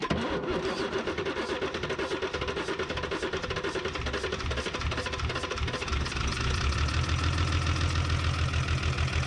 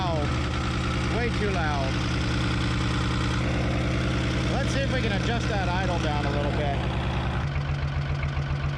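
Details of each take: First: 1975 Chevy diesel stepside that sat 32 years, on its second cold start after about 15 s of glow plugs: rough, lumpy clatter that settles to a steadier drum as it warms; the number one injector line is still bleeding air. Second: 1975 Chevy diesel stepside truck, sat 32 years, running with no muffler after driving under its own power: loud but even, steady low clatter with no hunting, settling to a slightly lower idle; normal idle.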